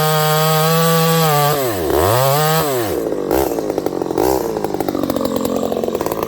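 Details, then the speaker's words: Ported, piped vintage Homelite 922 chainsaw cutting wood: screams at full revs, then pitch sags and stumbles twice in the cut before recovering; bogging under load, owner suspects a cause and will pull the muffler to check. "this thing was kind of stumbling i could feel it in the cut it had lots of power and then all sudden it was like ah"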